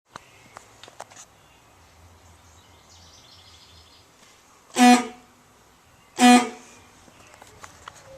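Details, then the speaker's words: 2003 Honda Element stock horn, weak thin nasal goose-like honk in two short blasts with little punch, too quiet for traffic; owner replacing it after one and a half years of ownership. "as you just heard my uh vehicle apparently doesn't have a horn but instead I'm uh slowly killing a goose underneath the hood of the car"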